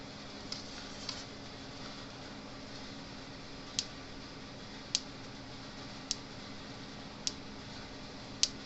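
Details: Gallagher B11 fence energizer (0.11 joule), tested after repair of a broken red lead and a replaced clamp: sharp, even ticks about once a second over a faint hum. Normal, healthy energizer pulsing.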